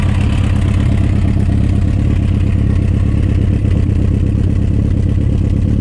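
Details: Suzuki RF900 with a loud idle and a rough, uneven knocking running through the engine note the whole time; engine knocking at idle, cause undetermined.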